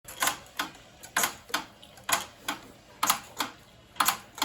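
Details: Peloton bike gives sharp, crisp clicks in pairs about once a second, in time with each pedal stroke; fixed by tightening screws and lubricating the cranks.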